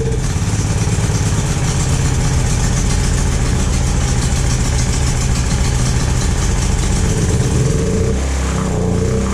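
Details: Predator 9000 generator engine after replacing a bent valve and pushrod, choke on, first start after reassembly: catches and settles into a steady, even low drone with no knocks or misses; runs cleanly.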